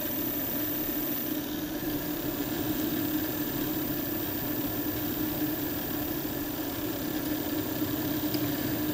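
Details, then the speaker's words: Brand-new MarsRock GTIL2000 grid-tie inverter with limiter, after 5 days on the wall, running at low power on a cloudy day: the cooling fan gives a steady low drone with a rough, fluttering, creaking edge; abnormal, possibly dying fan. "hello guys can you hear that this is the sound of a Dying fan The Creeks and this is a braid it's a bright new inverter from Mars Rock"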